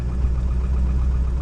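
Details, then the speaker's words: Ford Excursion diesel V8 cold-cranked at 12 degrees with glow plugs on: fires right up, oil pressure up, steady even rumble around 900 rpm with no knocks or misses, high idle can rise to about 1700 rpm; normal diesel idle. "so we're gonna go ahead and uh crank her over see it's still on as he fired right up we already have low pressure oil and it's idling just fine"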